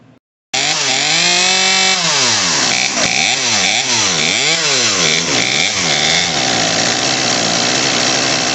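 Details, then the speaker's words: Craftsman 18in 40cc chainsaw (358.350810), new HIPA carburetor, idle screw turned up; revs sag and surge unevenly off idle; low-speed mixture too rich, L screw (nearest engine) turned slightly clockwise to raise RPM. "all right so the low end is too rich on this that's the one closest to the engine we're going to turn that one clockwise just slightly you'll hear their RPM come up here them come up"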